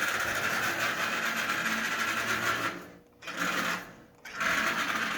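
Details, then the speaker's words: Marx 595 toy train locomotive, damaged, probably in shipping: steady high buzzing whir from the small electric motor with two short dropouts, running forward only; E-unit reversing unit sticking badly. "EU 'not is sticking big time but it's running that's something huh"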